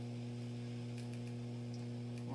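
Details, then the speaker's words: Acoustic B25 bass combo amp on a variac at 106 V: steady low mains hum with a buzzy edge, unrelated to the volume knob and unchanged throughout; cause undetermined, capacitor problem suspected. "we'll hit 106 volts and now we're getting some noise that's not related to the volume"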